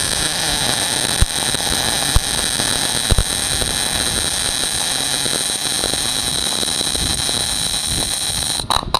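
Steady crackling sizzle like bacon frying, even and unbroken through the bead, with no popping or sputter: a correctly set MIG arc.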